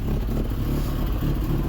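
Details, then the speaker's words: Ford Sierra/Transit 2.0 SOHC Pinto, Weber 30/34 carb, after coolant temperature sensor change, back at idle after throttle: low lumpy chuffing with stumbles, shaking violently, over-fuelling with black bits spitting out; still running really rough, not solved. "we got some shaking violently you can hear it just Plumbing fuel in smoking well you can actually see the fuel just spitting out here see the black bits so that is running really rough"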